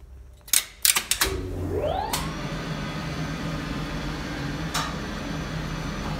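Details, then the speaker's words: DAKA elevator from 1962, machine modified 1986, in the machine room: relay clacks, a few seconds' lag, then motor whine climbs; brake slow to release because a burned-out diode in the brake coil rectifier bridge underpowers the coil, before diode replacement. "Now, if you take a better look, you can notice that one diode in brake coil rectifier bride burned out. Because of that, coil doesn’t get enough voltage, and brake is opening slower than it suppose to."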